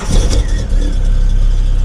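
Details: 1997 VW Golf MK3 GTI with troublesome aftermarket Sigma immobilizer causing intermittent no-start after short stops; here the engine catches after a brief flare and settles into a steady low rumble without stumble or misfire. Normal start.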